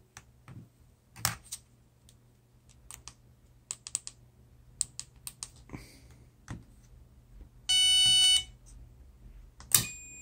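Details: A new 4-post 12 V DC solenoid, fed from a power probe and checked with a Fluke multimeter, gives several sharp clicks and then a short steady continuity beep; it engages cleanly and its contacts close, unlike the failed one before it.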